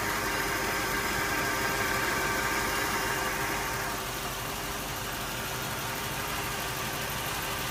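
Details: Toyota 1UZ engine with a rough idle: an uneven hum with a faint irregular stumble, then revs; running rough, cause not evident.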